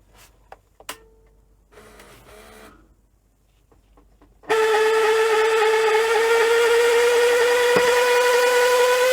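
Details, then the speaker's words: Panasonic NV-V8000 SVHS VCR from about 1990, after resoldering bad joints: faint clicks, then loud steady whirring whine creeping higher in pitch; mechanism abnormally noisy, owner suspects the spool. "Just eject that. That is so noisy."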